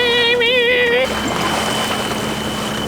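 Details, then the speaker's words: Sailboat engine, motoring back to the marina after it had conked out: a shrill, wavering high screech over the motor that cuts out after about a second. The engine alarm is sounding; cause unknown. "Oh, if you can hear that horrible screeching, it's the engine alarm. I don't know if you can hear it, but it's just going..."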